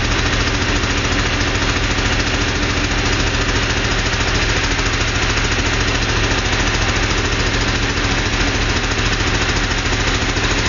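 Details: 2.0L Porsche flat-six running steadily with a regular tapping about three or four beats a second over the hum; source unclear.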